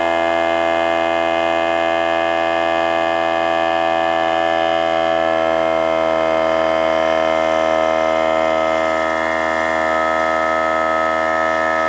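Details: Harbor Freight air compressor with a worn pump, restarted from empty: a loud, steady motor hum with a strong whining tone as it builds pressure, then it stalls and freewheels before building more. The pump is worn out.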